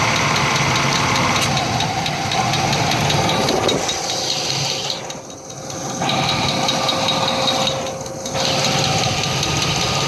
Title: Engine knock